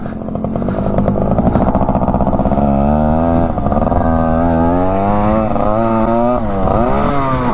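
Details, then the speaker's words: 1967 Yamaha YL1 two-stroke motorcycle, barn find revived after sitting over 40 years, normal running while riding with popped tire tube: crisp ringing note climbing and dropping cleanly through revs, no stumble; goes pretty good. "Yeah, she goes pretty good, doesn't she?"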